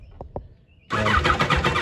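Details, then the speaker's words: 1986 Kawasaki Concours ZG1000, bought cheap, with a used battery just fitted before any carb work. A couple of clicks, then steady rhythmic cranking of about eight pulses a second that never catches; cranking, no start. "and we do have we do have cranking so that's good"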